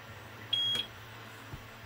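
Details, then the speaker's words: APC 1400 UPS run off-grid from battery clamps as a power inverter, no load connected: one short high-pitched beep of about a third of a second over faint hum as it powers up normally. "now listen to it it powers up now we're using now well we're not using anything from it right now but if i hit this button one more time it sets the beep off"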